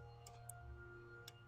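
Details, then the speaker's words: GMC Yukon XL bought cheap after sitting long, four-year-old battery possibly cooked; quiet irregular relay clicking from the dash over faint hum, battery measured only six volts, too low to start. "If you guys can only hear the clicking that's going on in that dash right now. We should have enough juice to start it."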